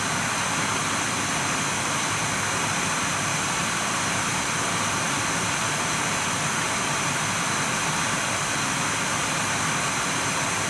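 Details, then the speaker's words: Nvidia GTX 980 reference card in an air-cooled Dell XPS 8700, blower fan forced to 100% at about 4,200 RPM, mic right up to the card: steady, loud, even rushing whoosh with no ticking, rattle or wobble, a healthy fan. "Alright, 100% got me 4,200 RPM. Now, I don't know if this varies from card to card, but on my card, this Nvidia reference card, it was 4,200 RPM at 100%."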